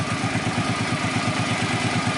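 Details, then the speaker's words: Suzuki Boulevard C50 800cc cruiser after cam chain rebuild: steady, even idle thump with no slapping or rattle; the rear-cylinder cam chain slap heard before the repair is gone, though maybe a little valve tap remains. Normal idle. "main thing is when it's yeah when it's idling it's not slapping about and yeah it's looking right"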